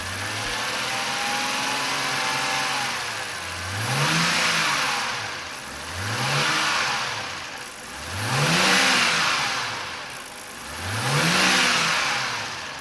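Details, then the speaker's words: BMW 328i E90 with a swapped-in used N52 inline-six, revved a few times after first start and power steering bleeding. Four clean blips rise and fall smoothly with no knock, miss or rattle; normal revving. "all right guys it looks like the m52 is running how it should so we're going to end this"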